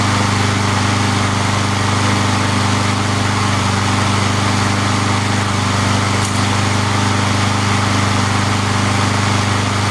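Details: Free junk mower, single-cylinder, cold start about an hour after last run following replacement of a holed part: steady even putter with no surging or misses; clean normal idle.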